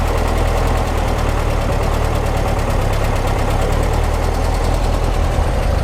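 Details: 1955 Porsche 356 Pre-A Speedster, stone cold, at a steady, even low idle on both freshly installed Zenith carburetors without air cleaners; clean on all four cylinders, no misses or knocks, no carb leaks; initial setup before warm retune.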